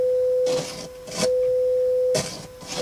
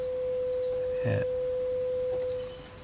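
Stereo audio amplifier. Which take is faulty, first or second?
first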